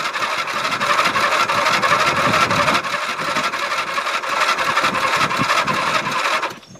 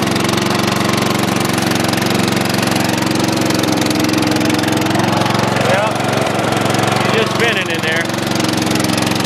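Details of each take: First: Dynamark lawn mower, sat unstarted since last fall, tank run dry then refilled with a little fresh gas, battery possibly weak: cranks with steady chugging about six seconds but never catches; hard starting, owner suspects carburetor needs work. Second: Dynamark mower engine with fresh gas, fired up first pull: small single-cylinder engine holding a fast, fairly steady putter, running evenly with no obvious faults.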